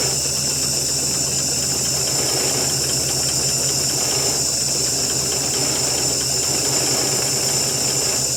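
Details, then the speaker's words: 1966 GMC half-ton, 250 inline six, sat two years, straight pipe, no muffler or coolant: loud steady hiss over an uneven, lumpy idle; owner suspects a big carburetor vacuum leak, not confirmed. "Carburetor sounded like it's got a big vacuum leak."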